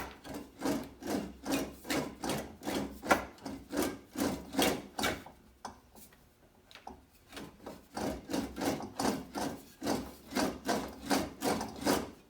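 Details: English wheel on light pressure over the repaired left rear fender of a 1950 Chevy 3100: rhythmic gritty, uneven rasping strokes two or three a second as the panel rolls, because hammer marks are still in the metal.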